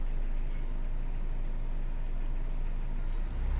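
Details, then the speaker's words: 2005 Honda Jazz (City) with i-DSI engine, after the fix for shaking and rpm drop with A/C on or in gear: steady low idle hum with the A/C compressor cycling, no dips or stumbles. "โอเคตอนนี้เครื่องกลับมาทำงานนิ่งครับรอบเครื่องรอบแอร์ไม่ฉุดแล้วครับนี่ครับเสียงแอร์ทำงานปึ๊บแอร์ตัดเห็นมครับอ่าเครื่องนิ่งเลย"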